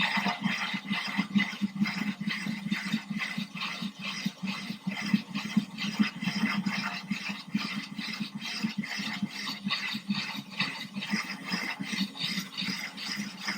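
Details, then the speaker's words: Ryobi drill with a diamond core bit near breakthrough in a thin-glass 10-gallon aquarium, water already dripping out the bottom, slowed way down and kept cool, the fragile point: a light gritty rattle with soft scraping pulses about twice a second. Gentle normal cut. "This is the fragile point. You gotta be careful here. You don't want this to break through the bottom. You want the drill to keep working."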